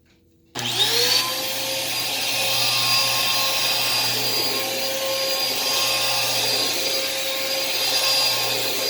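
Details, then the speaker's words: Thrift-store Dirt Devil vacuum running: steady high motor whine with no brush-roll thrum, suction present but possibly somewhat low or clogged; snapped drive belt leaves brush free-spinning. "the belt is snapped so you can see the brush is just kind of free flying and uh yeah so it is running though so that's good"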